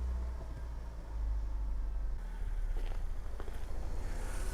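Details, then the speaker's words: Saturn S-Series on a very cold January morning, check engine light and code P0340, smell of unburnt fuel: rough, lumpy idle with the engine rocking; running on two cylinders from a failed ignition coil. "yeah now it's doing it so it is running rough you can kind of and kind of see the motor rocking back and forth"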